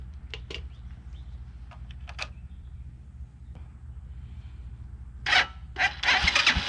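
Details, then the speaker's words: 2010 Dongfeng DF250RTB 250cc single-cylinder air-cooled motorcycle after 10 years sitting, fresh gas added: starter churns in bursts, engine spins without catching; not getting fuel, so the carburetor comes off. "sh okay well that is not getting fuel all right guess the carburetor is coming off"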